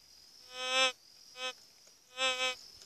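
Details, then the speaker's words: White's GMT metal detector sweeping a rock: three short high warbling tones over quiet background as it signals a target; rock said to contain silver flecks. "exemplo, aqui localizou alguma coisa."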